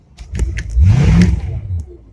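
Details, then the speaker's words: Carbureted boat motor with 1,000 hours, started once the carburetor filled with gas: cranks, catches and revs up smoothly in under a second, then settles to an even idle; owner believes a faint tick is the gimbal bearing. "Fire it right up once the carburetor filled up with gas. Pretty dang good for a carbureted motor with 1,000 hours on it."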